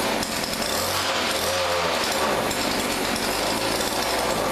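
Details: Weedeater PE550 edger from a thrift store: its small engine buzzes hard and raspy at a steady high speed with no stumbling, running normally.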